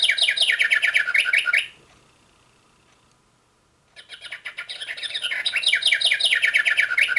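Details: Singing bird clock after movement replacement: bright chirping bursts, short pause, song returns clear and even; hourly chime working properly.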